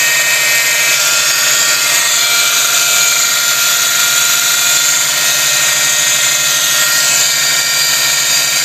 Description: Need help pin-pointing the problem of this noise coming from an 04 STi, coming from the driver side in the engine bay.